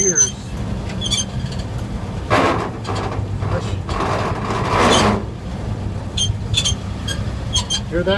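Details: 1947 GMC truck on a road test, shifting into second and third: steady engine rumble under a rough grating rush for a few seconds as gears change; cause not evident. Finding: noise when shifting gears.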